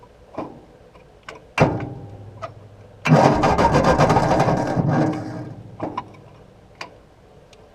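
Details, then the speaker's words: 1953/1954 Ford Golden Jubilee NAA tractor, sat over 20 years, 6-volt starter on 12 volts: clicks and knocks, then about two seconds of cranking without firing. Good spark and fuel at carburetor; owner suspects oil-wetted plugs. "Well, I don't want to get that starter and wiring too hot. It is only a 6-volt starter on this thing, and we're already pushing our luck running her on 12 volts."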